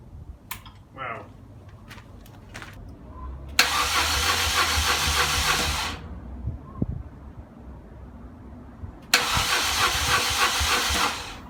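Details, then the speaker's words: BMW R1200GSA boxer after hydrolocking in a creek, all four plugs pulled, oil and filter changed: two bursts of fast, even starter spin with loud hissing spray from the open plug holes, expelling water. "so I just got a crank it over without the plugs in it and see how much water comes up"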